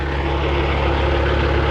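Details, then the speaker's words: Freightliner FLD120 with Cat 3406e diesel idling after the thru shaft was pulled and the overhead checked. A deep steady idle with a heavy low throb; the vibration remains after a test drive. Some commenters suggest the timing gear; unconfirmed. "I fixed something that was wrong, but I did not fix the vibration. Ain't that fun?"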